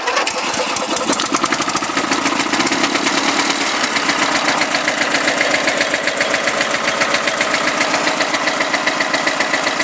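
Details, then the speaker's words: Husky riding mower jump-started with a borrowed 625 cranking-amp marine battery after earlier no-start: catches quickly and settles into an even steady patter about two beats a second, starts easily. "you starting pretty easy there"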